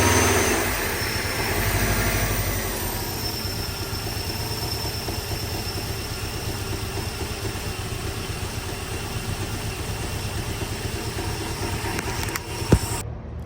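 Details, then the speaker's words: Freshly installed engine with a blow-off valve, on its first start: a thin, steady, high-pitched hiss over an uneven idle. A small leak at the back of the exhaust manifold; once fixed, it sounds normal. "righty I found a small leak on the back of the manifold that's why it sounds so high pitched"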